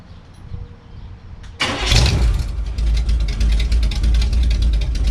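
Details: Healthy 52 Ford rat rod cranking and catching in about two seconds, then loud lumpy even idle with no knocks, exhaust now coming out the fenders instead of the stacks; started right up, oil level checked good.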